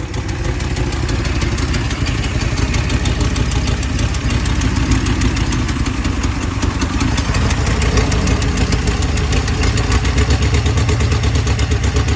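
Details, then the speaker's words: 1966 Ford Thunderbird 390 V8 after carburetor and fuel pump replacement, running better; rough loping idle with uneven beat and puffing tick, seemingly on 7 cylinders plus a bad exhaust leak. "All right, so I think we got 7 cylinders now and a bad exhaust leak. Yeah, that's not gonna be fun."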